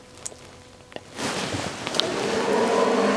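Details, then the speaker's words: Vevor 8 kW diesel heater starting in frigid (about −43 feel) weather: quiet clicks, then a sudden jet-like rushing roar climbing and steadying into a rising whoosh with faint tone; normal big startup-stage fan noise. "when it runs and it starts up it literally sounds like a jet like this thing just blows air like crazy"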